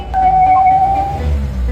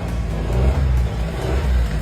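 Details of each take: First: Car engine starts normally, but a clear high whistle holds for about a second when the throttle is blipped; the air flow / intake pressure sensor and intake tract are found clogged with black carbon, disturbing intake airflow. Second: Car engine after cleaning the carbon-clogged air flow / intake pressure sensor and intake tract with cleaner: deep rumble swells smoothly under throttle with the earlier whistle gone; problem fixed, intake healthy.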